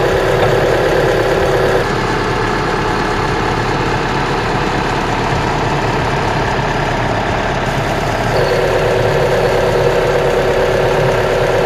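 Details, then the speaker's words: Mitsubishi Outlander petrol engine at -5°C outside, belt replaced 10,000 km earlier, idling smoothly with steady hum and no squeal after the whistling drive belt was sprayed with belt conditioner. "Friends, as you heard, we fixed the noise from the drive belt in our Mitsubishi Outlander after we sprayed the belt itself."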